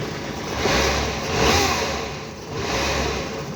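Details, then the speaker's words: Neglected van that sat about 6–9 years on stale petrol, 54,000 miles: the engine revs and settles back to a smooth idle twice, clean with no knocks or misses; sounds healthy. "Sounds sweet. She's done some mileage."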